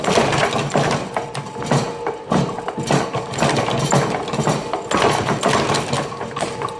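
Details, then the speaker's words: Worn Goliath power hammer, brake left disengaged: heavy thumps land at uneven spacing, some gaps long and some blows light; it drifts out of time on its own, owner unsure whether something is sticking. "does do that every now and then. Don't know whether it's sticking up here or something. It gets out of time of itself,"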